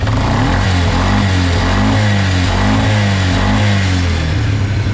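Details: Quad bike after fixing a carburettor-change mistake and cleaning oil-soaked air filter and airbox, warmed up: engine picks up cleanly and holds a strong, even note through repeated blips with no stumble; running healthy.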